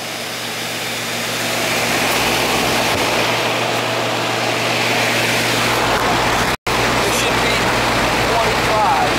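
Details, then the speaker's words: Trane AC condenser unit: compressor starts with a steady low hum and even fan rush, no buzzing or stalling, and has been cooling well; normal compressor running. "Hear it? Compressor starting. That's what we want."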